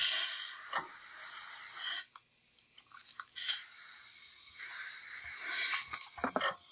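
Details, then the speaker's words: Cylinder leak-down test on a Briggs & Stratton flathead engine from a Troy-Bilt rototiller, oil slightly low: steady hiss in bursts as the engine is rotated, about 30-35% leakage, air felt escaping at the dipstick tube, mostly past the piston rings into the crankcase. "you can probably hear it that i can definitely feel the air escaping so now that i've rotated the engine a little bit i'm down to around 30 to 35 leakage feels like most of that's coming past the piston rings"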